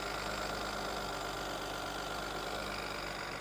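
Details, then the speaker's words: Car at a public auction with the hood open, newer battery and vacuum lines fitted: steady, busy idle with a loose, uneven clatter up top over the hum; runs but noisy, cause unclear. "so it is running a little bit better we have a newer battery some newer vacuum lines a little bit noisy up here but it's running"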